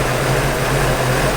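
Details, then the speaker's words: Radiator fan running hard with a loud steady roar over a low engine idle as the engine runs hot; head gasket doubted since there is no smoke or sweet smell. "The fan's running pretty hard right now."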